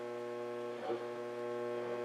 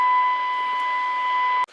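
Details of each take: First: Zenith Transoceanic Royal D7000Y radio after replacing AM-section transistors, run from bench power supply: steady low 60 Hz mains hum with buzzing overtones through the speaker, no programme. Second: Zenith Transoceanic Royal D7000Y radio during repair and alignment, at 8.75 MHz after capacitor 114E is turned with a tuning wand: a steady, clean test tone holds for over a second and a half, then cuts off; the signal is now received.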